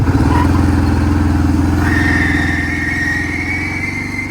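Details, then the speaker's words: 2002 Kawasaki Prairie 650 4x4, belt possibly never changed: V-twin chugs at idle while a thin squealing whir rises and holds on top; worn but not shredded CVT drive belt, replaced. "The belt's not completely shredded, but it was making a very funny noise."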